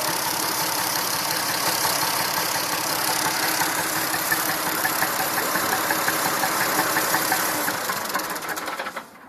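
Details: Massey Ferguson 2645 tractor, Perkins 6-cylinder diesel, owner claims rebuilt 100 hours ago: chuffing idle exhaust beat near three a second, not quite even, one cylinder weak, then shutdown; suspected valve not closing properly, low compression, little PCV blowby.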